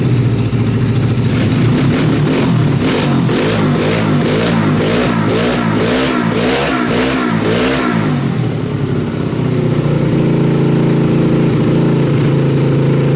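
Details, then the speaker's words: Dune buggy after months sitting under tarp, old gas drained and refilled, carburetor uncleaned: throttle blips then steady but fast idle that stays up; idle speed too high, needs turning down, but runs. "okay it sounds like I need to turn the idle down a little bit but it actually still runs"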